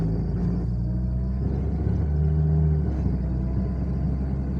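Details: 2001 Toyota Corolla XEi pulling away in first gear: low, uneven rumble from the lower front that swells on acceleration, like a loose gear; owner hopes it is not the gearbox, cause undiagnosed; front-end rumble.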